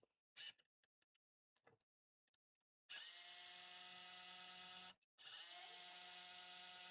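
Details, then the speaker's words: Untested eBay MiniDisc recorder (Sony MZ-R55 or Sharp MD-MT80) after cleaning with isopropanol. Faint clicks, then a high whir that stops and restarts as it skips and seeks without reading the disc; the owner suspects it is still damp or faulty. "It's trying to play. It's struggling. I can hear it skipping and everything, but maybe we have cleaned it and it's just a little bit still damp."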